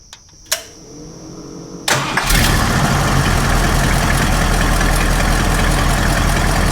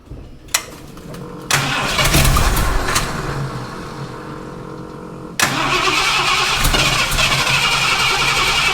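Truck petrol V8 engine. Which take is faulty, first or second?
second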